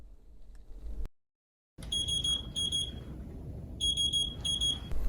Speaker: proximal air alarms mean that air has entered the cassette this could have come from the primary line or the secondary line and the alarm will be the same